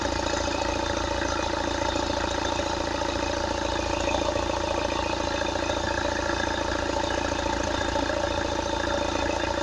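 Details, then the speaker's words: Opel Astra H 1.7 CDTI diesel after turbocharger replacement (old turbo noisy above 2000 rpm and on lift-off, negative boost deviation), intercooler hoses reconnected, warming up: steady idle with light regular clatter, no whistle or surging; no noises now. "The engine is working fine, we don't have any noises."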